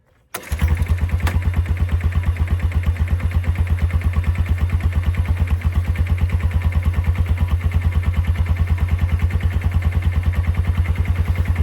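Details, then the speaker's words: Old four-wheeler (ATV) that sat for years, first start after checking the oil. It catches after a short crank and settles to a steady, even low thump of about three firings a second. Normal idle, fuel filter clean, a little smoke. "So, I'm just checking, making sure there's no weird noises. Checking the fuel filter. It looks clean. It's idling great for how long it's been sitting."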